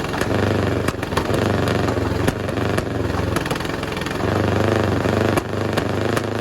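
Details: 1951 Caterpillar D8 (2U) dozer diesel, sat in a barn since about 1990 with the main engine stuck; first start on its own power after roughly 30 years. Big diesel chugs at a low, fairly steady beat with some top-end clatter, turning freely. Normal running.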